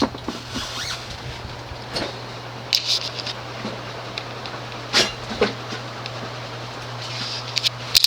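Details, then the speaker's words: 1993 Homestead Aero 58-inch ceiling fan on full speed: a steady low motor hum under the airy rush; the bearings are somewhat worn but smooth. "you can really hear the hum the bearings are a little on the worn-ish side but they're smooth at least"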